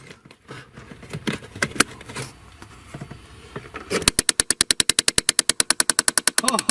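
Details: 2012 Chevy Impala 3.6 L V6 direct injection heating only on the driver side: a fast, steady train of sharp plastic clicks, about ten a second, starting as soon as the previously unplugged blend door actuator is plugged back in, showing the actuator is malfunctioning.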